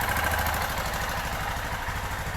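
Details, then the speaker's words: 2005 Kawasaki Bayou 250, warming up on a wrongly jetted Chinese carburetor: quiet single-cylinder idle with a light, fast, regular ticking and no knocking or smoke. It has a mild valve tick, and the valve clearance needs adjusting. "I don't hear any knocking a little valve tick we'll get into the valve thing here in a minute"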